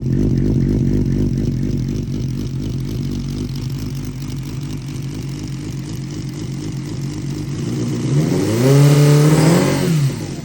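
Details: Engine after valve adjustment and carb work: lumpy uneven idle around four pulses a second, then a quick rev that rises and falls cleanly; owner suspects a vacuum leak at the intake boots, not confirmed.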